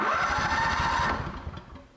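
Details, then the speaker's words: Honda generator that sat about 7 years with old gas, cranked after carburetor work with fuel reaching it. Brief ragged burst of firing fading within two seconds, kicks but won't run; suspected fuel shutoff solenoid at the fuel bowl stuck with trash. "we don't we just don't have a run we have somewhat of a kick something's trying to happen"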